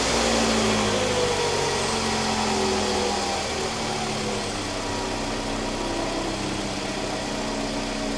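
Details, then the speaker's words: 2006 Toyota RAV4 at about 140,000 miles, idling after oil and filter change with all other fluids tested good: smooth, steady low hum, no ticking, knocking or roughness; normal idle. "Engine sounds good. All the other fluids tested good."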